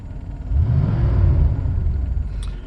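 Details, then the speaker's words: 1988 Mercedes 560SEC with the M117 V8, idling at 650 rpm after repair work, with some vacuum leaks remaining: a deep, even rumble swells cleanly under throttle in drive, with no misfire; normal acceleration. "Yup, picks up pretty well in drive. So we are in drive right now. It's pretty steady."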